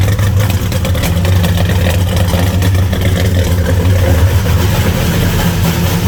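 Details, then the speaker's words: 1975 Plymouth Roadrunner V8, abandoned about 20 years: deep idle with an uneven, lumpy beat and occasional stumbles; rough idle, possibly flooded or lean, unconfirmed. "It's doing something. Might be flooded. Runs a little rough. Oh. Yeah, that sounds like it's lean."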